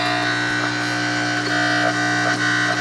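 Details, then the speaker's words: Vintage jukebox-styled AM/FM radio with cassette player, just switched on: a loud, steady low hum with scratchy crackling noise over it. The cause is unconfirmed; the first step planned is cleaning the volume control. "It's making quite a noise. Quite a lot of hum."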